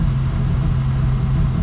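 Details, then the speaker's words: 1958 Rover P4 after restoration work, tested after refitting washer-shimmed part: low, even engine drone steady under light load, no knocks, whine or misfire; works, sounds healthy. "Oh, it works. I don't think there's anything wrong with that."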